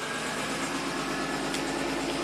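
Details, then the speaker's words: 1990 Buick Regal GS V6 after fixing severe low power, fired up with no codes, oxygen sensors warming toward closed loop, MAP down to 12: even, settled idle with steady hum, no misses or knocks; running smooth and happy. "it's super happy look Maps already at down down at 12 oxygen sensors warming up instantly that should go in the Clos Loop pretty soon oh this car is so happy now"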